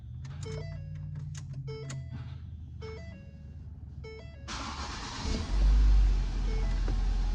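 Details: 2011 Ford Focus with a stiff, hard-to-turn ignition switch, now fitted with an added push-button start; dash chimes, short crank that catches at once into an even steady idle; normal start and idle.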